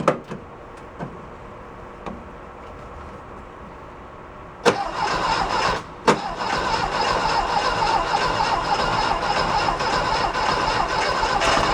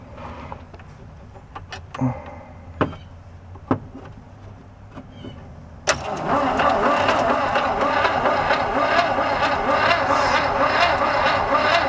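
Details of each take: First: 1969 VW Fastback sitting 19 years: faint clicks, then engine catches and holds a busy uneven idle only on gas poured into the intake; fuel injection delivers no fuel, none flowing from fuel line when key cycled. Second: 1969 VW Fastback sitting 19 years, starter hot-wired by crossing terminals; a few clicks, then steady even cranking for about eight seconds, healthy cranking.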